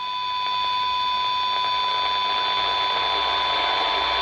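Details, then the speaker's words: Harvard H-407 CB radio on channel 20 with 1 microvolt from a signal generator: steady test tone under thick hiss and grit, reproduced badly distorted; owner expects alignment to fix it; distorted received signal. "we've got one microvolt on the uh sig gen as you can hear that sounds absolutely dreadful"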